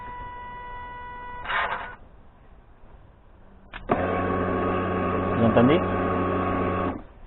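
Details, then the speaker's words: 2014 Kawasaki Brute Force 750 (KVF 750) after fitting ignition switch, camera on the fuel tank: quiet, then steady electric whir for about three seconds; fuel pump priming normally. "Donc je vais mettre la caméra sur le réservoir pour que le micro enregistre la pompe à essence."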